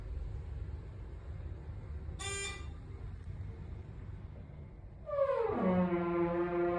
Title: A Nasty Thyssenkrupp Aurora Hydraulic Elevator with Weird Noises